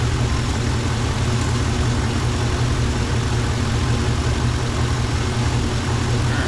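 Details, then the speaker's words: 1958 Chevy Nomad wagon V8 running, mass airflow unplugged, getting warm: deep steady idle rumble, even beat, no tapping or stumbling, purring smoothly; normal idle. "I can't tell you how excited I am. This thing is purring. I mean, oh, this sounds good."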